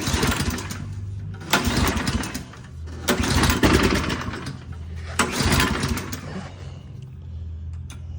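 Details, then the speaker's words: Toro Turfmaster mower, first start attempts after a carburetor replacement, choke toggled: pull-cord cranks in uneven bursts every one to two seconds, engine sputters but never catches. Owner suspects fuel had not yet circulated. Hard starting, cranks without running. "All right. Thought it was going to be the moment of truth. I guess not."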